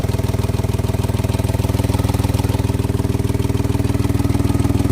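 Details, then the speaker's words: Mahindra XUV 3XO, 5,606 km, three to four months old, first service done, at idle: loud, even thumping about four beats a second over a heavy low tractor-like rumble; power belt also suspected, cause not yet found. "Engine के अंदर noise आ रही है मतलब कि आवाज बहुत loud आ रही है"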